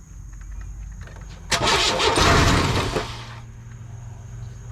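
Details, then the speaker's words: 1998 Chevy C1500 truck: short crank, then about a second and a half of ragged firing that dies; owner suspects a loosened torque converter. Cause suspected, not confirmed. "well it cranks and it fired off for just a second but uh that did not sound good"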